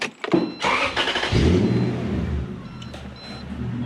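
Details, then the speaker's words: Toyota Celsior / Lexus LS400 1UZ-FE V8 after airflow meter and EFI fuse fixes, idle stepper motor reset by starting and switching off: cranks, catches, revs flare briefly then settle to a smooth steady idle; normal start flare. "she's got a good flare yeah they're seeing so warm i'd say it learns but they're actually a dumb system they don't actually learn"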